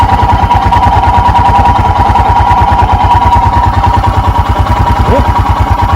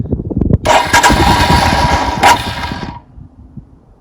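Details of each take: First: 2021 EFI Royal Enfield Himalayan single, cold, choke/idle lever down, idle crept up to about 1200 rpm: steady, even thump about ten pulses a second; normal fast idle during warm-up. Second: 2021 EFI Royal Enfield Himalayan single, cold start with the choke/idle lever pulled down, in neutral, fuel on: starter churns about two and a half seconds but the engine never catches and goes quiet; hard cold start.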